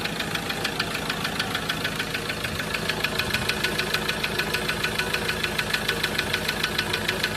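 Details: Ford Ranger engine idling: sharp, very regular ticking knock about three per second over the idle; engine knocking, cause not known.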